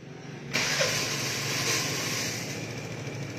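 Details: Vespa scooter after cleaning and rebuilding the carburetor (IC AC 19) catches on the starter button within half a second and settles into a smooth, steady idle without stumbling; normal start and idle.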